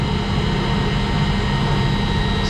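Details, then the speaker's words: Commercial centrifugal exhaust fan on an ABB ACH550 VFD, after reprogramming to lower frequency with the motor at 90%: smooth, even motor hum and steady airflow, no knocks or rubbing; a lot quieter now, running normally at reduced speed. "so it's it all comes down to settings and it is a lot quieter now it's a lot quieter now let's let this thing run"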